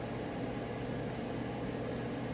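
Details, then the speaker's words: Whirlpool Estate EGD4400WQ0 gas clothes dryer after the idler pulley fell out, restarted: even steady whoosh and low rumble from drum and blower, no squeal, thump or scraping; gas ignites after about a minute, hot air flows; running normally. "you can hear it starting up after about a minute it will uh fire up and the gas will turn on and the heat will start"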